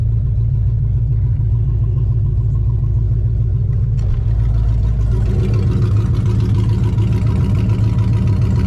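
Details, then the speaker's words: Vortec V8 (SBC 383) swapped S10 on a test drive, stopped at a stop sign after tuning. Deep uneven idle around 850 rpm, slightly high, with rhythmic cam chop rather than misfires; sounds much better than before. "And if you listen, even though we have that idle that's, I think, is a little too high, I think you can tell there's a little bit of actual cam chop in there and not, you know, misfires. So it sounds pretty good."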